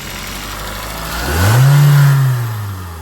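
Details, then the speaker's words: 2018 Hyundai Tucson 2.0 L four-cylinder with voltmeter on crank position sensor: engine rises smoothly from idle to a short rev and falls back evenly, sensor output about 9 V AC at idle rising to about 20 V; healthy running. "uh 9 volts at idle and then we'll give it a few [Music] revs let we see it increases to about 20 volts uh AC volts and it goes back down to around 9 volts you can see the engine speed increase"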